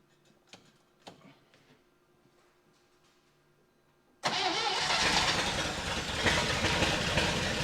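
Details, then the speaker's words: 1960 Chevy Brookwood wagon, sat 20+ years, fresh rebuilt carb with float bowl being filled: catches and runs loud and ragged; owner suspects fuel starvation because manual choke isn't hooked up, fuel pump possibly not pumping. "I bet a lot of it is the choke is manual and I'm just starving it once it starts because I don't have a thing for it"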